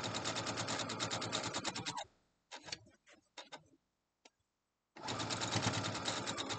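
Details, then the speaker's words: Sewing machine stitching fast and steady, about three stitches a second, with a loose light rattle on each stroke; source unknown, owner guesses the bobbin rattling around inside. "if you know what that sound is let me know maybe it's just the bobbin rattling around in there could be that i guess i don't know what it is"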